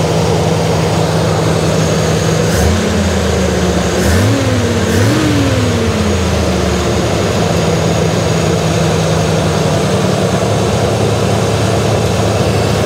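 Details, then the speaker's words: Jeep CJ5 carburetor that wouldn't idle, after cleaning jet and adjusting: steady low idle holding after short blips, no stumble or hunting; idle still slightly high, possibly timing. "yeah that sounds better there it was more turned closer to the vlog that sounds happier"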